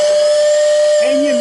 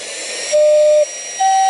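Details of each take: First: Lionel pre-war 48W whistling station on 12 V: steady mid-pitch whistle with a faint buzzing rattle underneath competing with it; rattle from dirty motor brushes and commutator. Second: Lionel pre-war 48W whistling station, tested out of its station before reassembly: clean steady two-tone whistle, higher and lower notes, in short even blasts and one long blow with crisp starts and stops; whistle working properly.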